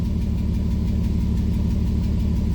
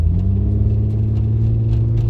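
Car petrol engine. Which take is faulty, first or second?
first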